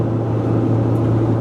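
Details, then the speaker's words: Cargo van cruising from Indianapolis toward Missouri with about 2,500 lb of cargo. The load lowers the roof and changes the wind's angle, so the roof AC unit hums: a steady low hum under road and engine noise. "apparently if I get 2,500 pounds in the back of the van now, it lowers the roof, changes the angle of attack of the wind enough that my AC hums a little."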